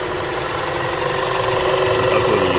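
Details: Ford at idle, oil level at minimum: faint metallic knocking under the engine note; metal shavings and bearing shell particles found in the oil, worn engine bearings.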